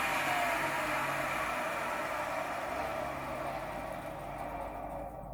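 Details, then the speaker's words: 1993 Hoover Turbopower 1000 U2814 upright vacuum from the tip: loud, steady rushing motor roar that sounds choked and slowly fades; airflow blocked by clogged brushroll inlet, clogged pre-motor filter and full dust bag. "right look brushroll seems to be tarnished put it is clogged so it's clogged and the premotor filters clogged and it's got a permit back and it's full of dust"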